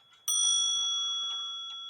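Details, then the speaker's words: Antique grandfather clock gong strike with hammer set clear of the gong: single clean, bright, sustained, slowly fading vibrant tone; correct hammer spacing, unlike the dead sound when hammer touches gong. "as you can see the hammer is away from the gong you hear how vibrant that sounds"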